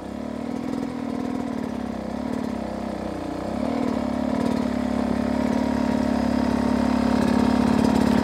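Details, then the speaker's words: 2023 Beta 250 RR two-stroke, riding: steady, even pull at low revs in the low power zone, no blubbering or missed strokes; runs smooth. "so first off the biggest thing for me about the beta is how smooth it runs if you can hear right here how steady this low power zone is"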